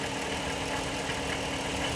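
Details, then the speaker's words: FCA engine at almost 200,000 miles idling with a loud, steady, coarse growl, no valve-train tick; suspected broken flywheel, not confirmed. "I can hear some growling oh y'all hear that right there I know y'all hear that"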